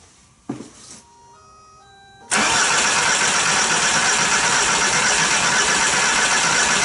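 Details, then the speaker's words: VW Jetta A3 TDI diesel after glow plug harness replacement, injector line left loose for bleeding: a few dash chimes, then long steady cranking that does not catch because of air in the injector lines; fuel later seen at the loose line. "try to crank it now it's not gonna it's not going to start immediately don't get all freaked out all right I'm going to go ahead and attempt to start the car and we'll see how long it actually takes before it fires over"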